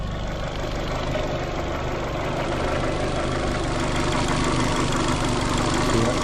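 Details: Fiat Panda 100hp after gearbox refitted and seized alternator/idler pulley freed: steady, even petrol idle with a soft low rumble and no knocks, misses or rattles; sounds healthy.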